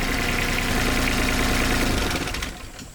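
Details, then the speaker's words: Isuzu 3LB1 diesel in an IHI 28J mini excavator after fixing diesel in the crankcase, injector line bled and tightened; steady, even idle on all cylinders before winding down, cylinder firing again, no misfire, repair successful. "You hear the engine pick up. And that cylinder is working."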